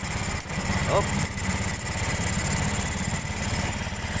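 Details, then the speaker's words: Honda Beat scooter with hard starting and low power: rough, uneven idle with stumbles, lacking power; ECU suspected, mechanic also considers fuel pump motor or fuel filter. "Yan kulang sa pwersa no pagka ganito kulang sa pwersa marami tayong pagdiskitahan"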